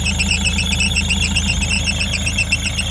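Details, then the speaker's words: 2006 Ford Transit 9-seat passenger van, 200,000 mileage, idling just after a long, hard start: a high chirping squeal pulses about four times a second; no smoke. Idler/tensioner pulley squeal. "так завівся двигун ось ви чуєте роботу 200 000 пробігу довго не заводився запищав ролик не димить не коптить"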